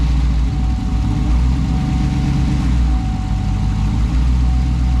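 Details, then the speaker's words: 2009 Chevy Tahoe with an engine rebuilt about nine months earlier that had low oil pressure and smoke; now a steady, even low rumble with no knocks, showing 45–50 psi oil pressure but no volts. "45 50 pounds of oil pressure all sounds good only thing we don't have is volts"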